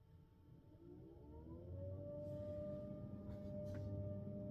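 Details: Parked Tesla Model 3 HVAC coolant pump hum rises into a steady, loud whine around 600 Hz, louder with the door open; cause suspected to be air in the cooling system, not confirmed.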